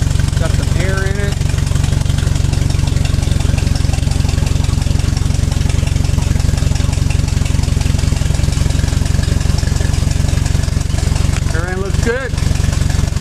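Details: Ford 641 tractor idling in neutral after a hydraulic pump rebuild while the lift handle is raised and cycled to bleed air; a steady low even beat, no knocks or whines, no strain. Normal running.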